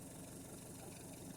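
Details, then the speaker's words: Washing machine spin dryer after repair; it had not spun because rodent-chewed wires (brown and red) cut its power supply. Quiet, even motor whirr with steady drum rush, no grinding; normal spin, and it stops when the lid is lifted because the lid switch opens. "terlihat pengering sudah mulai berputar lalu angkat lagi tutupnya nanti kita angkat tutupnya maka pengering itu akan berhenti dikarenakan switch nya tidak connect"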